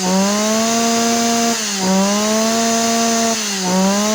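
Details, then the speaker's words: Yanmar (Kyoritsu) 209D small engine after coil switch-wire jumper: clean high steady scream held at full throttle with two brief dips; revs freely and healthy. "อ่ะเดี๋ยวสตาร์ทแล้วไปเร่งรอบเครื่องดูว่าเจ้านี้มันจี๊ดแค่ไหนครับ"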